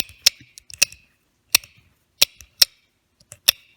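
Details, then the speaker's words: Restored 1966 Ford Thunderbird convertible top screw drive mechanism, turned by hand on the bench with a male screw inserted: sharp, high, uneven clicks under a second apart, turning easily and not seized; drive clutch slipping normally. "So you can screw this in and then turn it. And you can hear it clutching."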